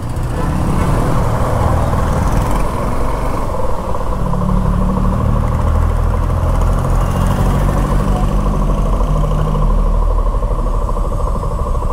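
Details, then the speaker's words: Suzuki V-Strom idling with owner's hands off, before running it longer (owner says it later turns into a tractor-like knocking): even steady low thrum, no knocks or ticks, normal idle. "देखो normal sound तो ये होती है bike की आ condition हा"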